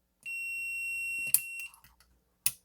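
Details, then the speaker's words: DigiTech Bad Monkey overdrive pedal that only passes a dry signal, footswitch tested with a meter on continuity: one steady high beep each time the switch is pressed, then clicks. Continuity beep; the footswitch is working. "and let's do it again yep every time I push it it beeps so we have continuity the switch is working fine"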